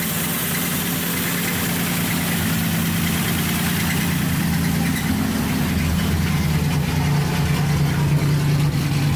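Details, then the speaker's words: Datsun 280Z with freshly rebuilt engine, first start after fitting the coil wire, on a jump box, no muffler, lower coolant hose missing so only run briefly: a steady deep idle with a harsh open exhaust bark. Loud exhaust from missing muffler. "all right finally alive a super-loud well there it is it runs better than sound like yours you know your muffler right now"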